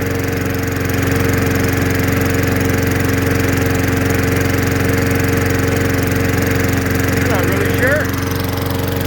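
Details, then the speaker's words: Curbside-rescued MTD mower with a Tecumseh single-cylinder engine, just after the carburetor bowl was cleaned of muck and refuelled. It runs at a fast steady drone with speed drifting up and down; the RPM is hunting and the cause is unconfirmed. "the RPM has been changing"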